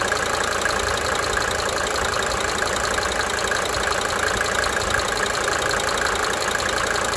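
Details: 1992 Mercedes-Benz 300D 2.5 Turbo diesel, several minutes idling: light, sharp cyclic injector ticking fading in and out over the diesel clatter.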